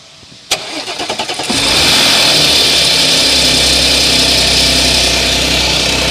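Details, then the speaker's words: 2014 Audi S, about a year-plus old, cold start: brief metallic rattle as the engine catches, then disappears; customer reports engine noise most obvious on cold start. "据客户描述呢，冷车启动的时候啊，发动机异响比较明显。"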